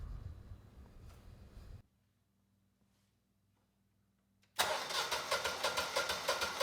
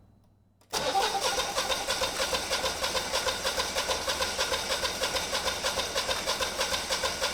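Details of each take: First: Generac 20kW standby generator with replacement GTH-999 999cc engine (model 0H4653), first start after swap; fires after a quiet pause and settles into an even, steady beat of about three pulses a second, sounding healthy. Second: Generac 20kW standby generator, GTH-999 999cc engine on propane, start attempt possibly still purging air: steady, even cranking about three turns a second but never fires; crank no start, no spark suspected.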